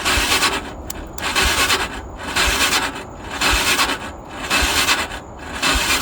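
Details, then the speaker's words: ATV being revived before a trip, possibly the 2001 Honda Foreman 450 with electrical issues: the battery read 12.4 V but dropped to 5 V on a load test, and the starter drags the engine over slowly, about one labored turn a second; the battery has failed. "124. 124 is enough voltage. She's cranking very slowly."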